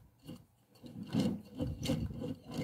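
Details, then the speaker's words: Jacto Clean J6200 pressure washer motor that won't start: rough uneven rasping grind in short pulses as it drags round, worn, fully seized armature bearing at the pump bottom needing replacement. "e dá para ver aqui pelo barulho que esse rolamento que tá aqui não tem mais condição de usar esse rolamento aqui tá totalmente é travado"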